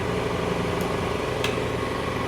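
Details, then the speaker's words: 1972 Triumph GT6 transmission and overdrive on a test rig after internal rebuild: steady even gearbox whir with a faint tick as the overdrive solenoid pulls in, audibly making a difference; normal overdrive engagement. "and it did actually I think I heard it making a difference yeah I can hear that it makes a difference"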